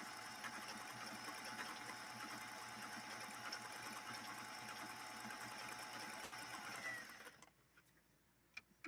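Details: 1960s Singer 503A sewing machine run on its foot controller while sewing a decorative pattern stitch: smooth, even high-pitched whir like an airplane revving up, steady fast stitch rhythm, no knocks or catches, then stops; runs healthy.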